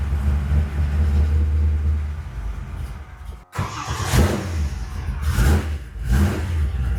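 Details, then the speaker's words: 1955 Chevy at first fire, cold, with good oil pressure: it sags and nearly dies when the throttle closes, then catches on sharp blips. It won't run off throttle, so the owner raises the carburetor idle; cold idle speed set too low. "Yeah. I mean, it won't run at all as soon as I let it off. All right, I'm going to idle it up a little bit."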